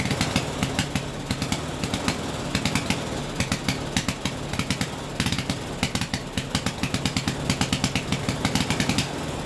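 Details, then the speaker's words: 1974 Briggs & Stratton 8 hp 190402 engine, revived after sitting in a yard over 10 years, restarted after refuelling: steady lively single-cylinder beat, sharp exhaust pulses, no knocks or stumbles; running healthy. "This old motor had been sitting in somebody's yard for over 10 years."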